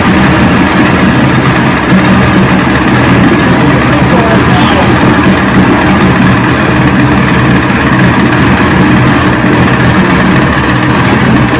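Catches and settles into a steady, even two-stroke burble with no misses or knocks; this old outboard is running healthy.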